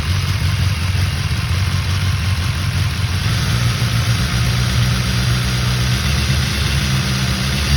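Steady inline-four idle with a light metallic rattle riding over the exhaust note; could be cam chain noise, but unconfirmed.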